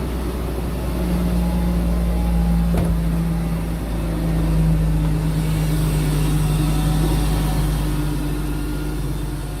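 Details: 1997 BMW 523i E39, first start right after replacing the starter: low, smooth, steady idle hum with no grinding or freewheeling whir from the starter; engine idling healthily.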